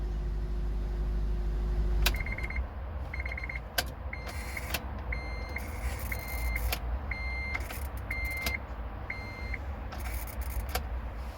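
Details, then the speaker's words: 2004 Honda Element, key turned to start: short high-pitched buzzing chirps repeat in bursts about every second, with clicks over a low rumble. The car doesn't start until several tries; the noise seems to come from the steering column. Failing ignition switch, fixed by replacement. "put the key in it just makes that buzzing sound and they'll do it over and over and eventually the car will start"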